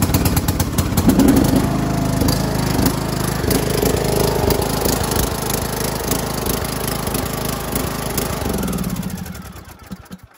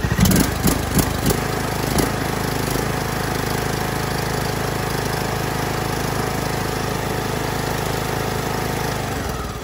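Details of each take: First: John Deere LA125 mower, Briggs & Stratton 21 hp engine, 282 hours, generic carburetor, smells strongly of gas: lumpy, uneven chugging with irregular pops that sags and dies; rich running, owner 90% sure the carburetor is at fault, genuine Briggs carb ordered. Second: John Deere LA125, Briggs & Stratton 21 hp, 282 hours, previously ran terrible, after replacing the aftermarket carb with new OEM Briggs carb plus new fuel filter, plug and air filter, valves adjusted: a few startup clatters, then smooth even steady running, no hunting or misfire.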